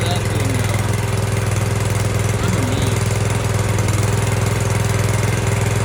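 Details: Brand-new Harbor Freight Predator engine just swapped onto a rear tine tiller, first pulls out of the box: steady even single-cylinder drone, smooth regular beat, no misses or knocks; running cleanly.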